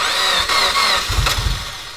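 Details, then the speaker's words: Mitsubishi Evo X with freshly rebuilt engine, first start, started after about five tries holding the gas pedal floored: rough burst of cranking, engine barely picks up and fades; a hard start. "all it was is I had to hold the gas pedal all the way down to the floor and hold it you look really out now after about five five tries it started up"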